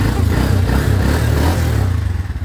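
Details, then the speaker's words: Honda TMX 125 Alpha single-cylinder motorcycle after repair: even low thumping beat with the earlier clatter gone; normal, smooth running. "Ayan smooth na yung motor niya start mo Bossing start mad yon Wala na yung kuliglig goodby kuliglig"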